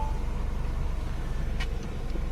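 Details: 2011 Mini Cooper S at idle with misfire detected: low, throbbing, pulsing slightly lumpy beat; one cylinder dropping out from faulty ignition coil.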